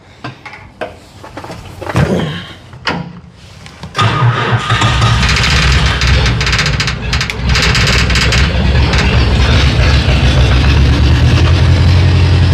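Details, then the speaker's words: Bobcat 743 diesel skid steer, about 30 years old, started after bleeding the injector lines: a few seconds of cranking, then a lumpy uneven run that misfires from air in the lines until it clears and runs on all cylinders. "It doesn't sound like it's running on all the cylinders. Oh, now it is. Yeah. Yeah. That was it. Finally got all the air out of the system."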